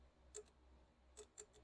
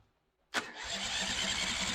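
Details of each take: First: Briggs & Stratton 350777 1152-E1 engine, carburetor refitted: faint sharp clicks, about four in two seconds, as power is touched to the carb fuel shutoff solenoid, which opens and closes the needle blocking the main jet; working normally. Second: Long-dormant Briggs & Stratton 350777 1152-E1 twin on its first start running on its own fuel, leaking fuel: catches and settles into a loose, uneven putter, rough and unsettled, blowing oil out but running on its own.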